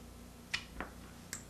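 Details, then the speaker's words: RV furnace control board on a Dinosaur Electronics board tester, powered from a battery; the board is designed for instant retry with a long 12-second ignition process. Three sharp, irregular snaps over a quiet room hum as the igniter retries. Normal igniter spark. "if the board's not working properly either you're not going to get the spark or you're not going to get the valve this is a long duration 12 second ignition process on this particular board"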